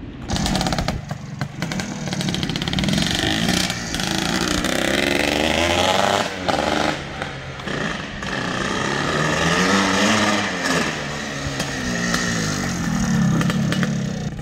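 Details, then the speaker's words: 1981/84 Yamaha YZ465 two-stroke, first ride after restoration: revs rise and fall unevenly, blubbering and stuttering under throttle; jetting sounds too rich, needs tuning. "They say this is the most violent of the Yamaha YZs from that era, the 465. Sounds like the jetting's a little fat, but we'll get them straightened"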